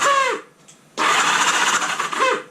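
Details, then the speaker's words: 1978 Honda Goldwing after years sitting idle, on a jumper box; quick starter whir spins the engine over freely and evenly with no firing. Engine cranking freely on starter. "it turned over yep the starter clutch is spinning it's not turning in turn okay there we go ladies and gentlemen the engine turned over"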